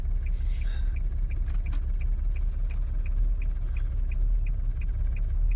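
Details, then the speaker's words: 2002 Nissan Altima 3.5 V6 creeping in drive off the brake without throttle: low uneven rumble with faint tick about once a second, whole car shakes violently, eases with gas; cause not pinned down. "And as I'm just drifting, I haven't given it gas yet. As I'm just drifting, the whole car is shaking."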